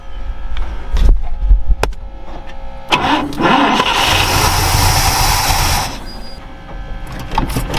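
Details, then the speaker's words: Ford Falcon Ranchero ("FalconStein") with new fuel pump working: fires up, revs briefly, then idle sags unevenly and nearly dies; owner suspects a stuck carburetor float, carb rebuild kit planned. "Well, I guess I'm gonna have to do some carburetor work."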